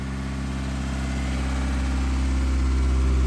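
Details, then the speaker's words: Old Geo Tracker after a tune-up with new spark plugs and the plug wires reconnected to the distributor cap; smooth, steady idle hum with even firing and no miss or tick, showing the timing is on and the firing order is correct; normal idle. "Oh, she sounds good. Alright, shut her down. That means the timing's on, so you girls put spark plugs back in the, or the wires back in the correct firing order, so you did good."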